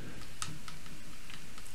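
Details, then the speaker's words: Sienci Mill One CNC during assembly: irregular light clicks as the axis is moved by hand, backlash still left in the lead screw nut despite the spring-preloaded anti-backlash nut. "I mean I can still hear it clicking you can still see it moving but at least it's like you know pushed up in in this direction it's always getting pulled in this direction so yeah it's not a it's not a perfect anti-backlash solution"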